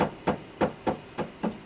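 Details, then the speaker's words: Silvertone acoustic guitar body tapped after a saddle cut-down: evenly spaced taps, each with a short buzzy tail from loose internal braces left unrepaired. "but uh listen you can hear those braces rattling listen to"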